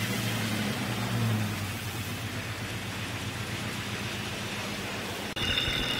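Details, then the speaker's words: Jeep XJ Cherokee at about 175,000 miles, knock since about 125,000, intermittent, mostly when cold; at idle with chassis-ear probe on the timing cover: rapid uneven low tapping; source not pinned down. "okay number five cylinder is quite loud we're gonna pull the number five spark plug wire off to take the load off that cylinder and see if that has an impact on the noise"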